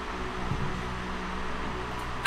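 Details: 2024 Nissan Z started after its first oil change with about 5 litres added: catches quickly, settles into smooth steady idle with no tapping or misfire, then a loud burst at end; normal idle.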